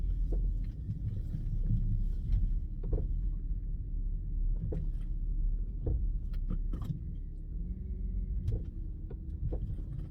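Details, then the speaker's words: 2010 Audi Q5 3.2L V6 FSI Quattro driving, with deep road rumble broken by irregular sharp knocks from the front end. Front CV axles are worn, one boot is torn and has thrown its grease, and the owner suspects the control arms too. "Q5 you guys hear that yeah it's making a really loud knocking noise and you can also hear this while driving"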